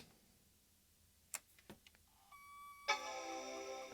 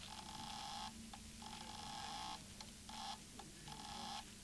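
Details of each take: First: PowerBook 540c with corrosion from exploded batteries and vinegar-syndrome LCD, first power-on: a few quiet clicks, then a clean sustained startup chime; normal, screen lights up. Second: PowerBook 540c with corrosion from exploded batteries, first power-on after chime: faint electronic tones, sweeping chirps and buzzing pulses from the hard drive instead of clean spin-up; drive suspected faulty, not confirmed.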